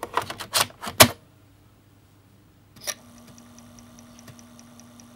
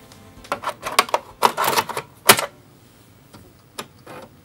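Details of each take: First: Amiga 500 internal floppy drive loading the Workbench disk: low, steady spindle hum with quick regular head-stepping ticks as it seeks; this drive sometimes fails to load some disks, owner suspects it needs a clean, so it may be reading poorly. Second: Amiga 500 floppy drive loading a Workbench disk after being taken apart and reassembled: bursts of rapid ticking head steps, then sparse single clicks; a distinctive sound, drive reading normally.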